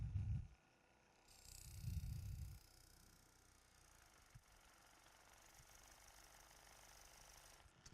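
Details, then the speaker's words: Woodturning lathe cutting an eccentric lattice-lidded box: low, uneven thumping bursts under a hissing cut as the lid chatters. "that sound is the lid chattering"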